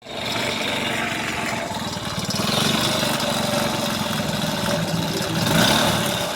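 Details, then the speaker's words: Kasinski small motorcycle revving with a hard metallic knock of about four per second that rises with speed. The connecting rod was knocking, and worn, damaged crank bearings were also found. "aí uma das causas do barulho aí era biela batendo"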